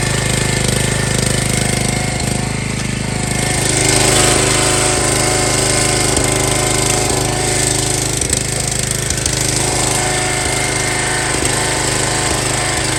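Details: Long-stored MTD Yard Bug riding mower, restarted without choke since it had run recently, before a drive test: small single-cylinder engine chugs at a steady, even beat with no misses or knocks, sounding healthy.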